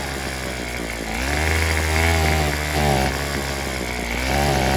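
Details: Craftsman WS210 weed eater after carburetor replacement, with the old primer bulb and diaphragm moved onto the new carb: small engine buzzes unevenly, pitch sagging and surging, won't hold idle or climb to full revs. Cause unconfirmed.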